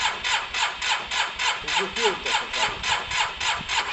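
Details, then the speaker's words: Cheap Yamaha TMAX after cleaning spark plugs: steady cranking about three and a half strokes a second, never fires; spark judged good enough and good fuel in, owner suspects fuel not reaching the carbs, possibly the fuel pump. "It doesn't sound. So that's clear, guys. We think we've got good enough spark. We've got good fuel in there, but I don't think it's getting through to the carbs, either the fuel pump."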